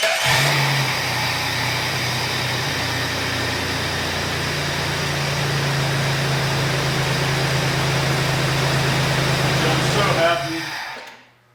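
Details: Low-mileage 4.0 engine freshly swapped into a Jeep TJ Wrangler, replacing the original that developed a knock, first start with radiator not yet installed: catches and settles into a smooth, even idle, steady hum, no knocks or ticks; oil pressure good, check engine light on; normal idle.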